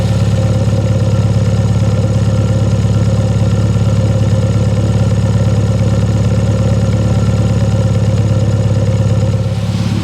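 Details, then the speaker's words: Engine with SU carburettor, warmed up, idle mixture set by AFR gauge at around 1000 rpm: steady even low exhaust beat with no puffing or hunting; mixture correct, normal idle. "if it's running smoothly on idle there should be no puffing whatsoever"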